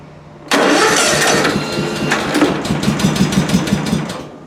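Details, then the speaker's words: Small engine cranking on a recovered weak 12 V lead-acid battery: slow but steady starter crank, about three turns a second, not tailing off, engine never catches; cranking without starting. "it's a slow crank but it's a crank well it I don't want to flood it so I'll choke it now and start it but it's it's holding speed it's not tailing off or anything"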